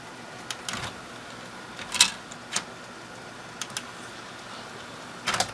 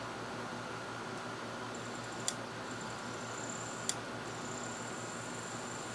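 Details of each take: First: Thrift-store Sylvania DVD/VHS combo, DVD side: only a few soft, scattered clicks over a quiet hum as the disc spins up and the lens focuses, with almost no ticking; loads the disc normally. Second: Thrift-store Sylvania DVD/VHS combo, DVD side: two sharp, isolated clicks about 1.5 s apart over a faint fan hum, heard as the lens clicking; cause not confirmed.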